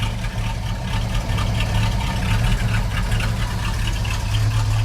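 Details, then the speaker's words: 1989 Chevrolet S10 pickup with swapped-in 5.7 L 350 small-block V8, 2.5-inch dual-muffler exhaust, running a little rich, possibly on bad fuel; slow, heavy loping idle about 500–600 rpm with 60 psi oil pressure: idle speed low. "Let's see how many RPM she's turning, because it sounds like about 600."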